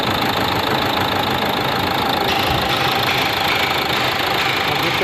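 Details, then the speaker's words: Renault Duster 110 PS diesel at idle: hard tak-tak injector knock, about three knocks a second, harsher than normal, with light white smoke, worse in the morning; no check light, injector recently replaced. "तो 110 injector काफी knocking तक तक sound करते हैं और हल्का white smoke देते हैं"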